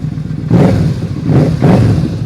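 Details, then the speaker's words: Motorcycle left sitting about a year, just started on choke: three quick throttle blips rise cleanly and settle back to an even idle with no stumble or popping. Normal revving, running strong. "yeah, she's running strong at least. Let's take this thing for a ride, and then we'll deal with that."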